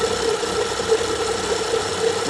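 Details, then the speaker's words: 2013 BMW 535xi F10 with 3.0 turbo N55 engine idling: steady rough, warbling, grinding drone from the belt area as the belt tensioner pulley shakes; worn tensioner, to be replaced. "I'll replace that because it's making aable sound so that's it for today guys another one another BMW PR L with the tensioner that's worn out have a nice day guys"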